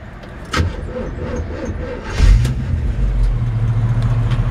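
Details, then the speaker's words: 1977 Chevrolet Camaro project car running without touching the gas: deep, even rumble with no knocks after some handling noise; seller says it runs and drives well, though it sounds like it has sat and the battery may be weak; normal running. "that's about you in it right there I mean this thing just runs out drives out good you know don't even have to get in the car to get it started up"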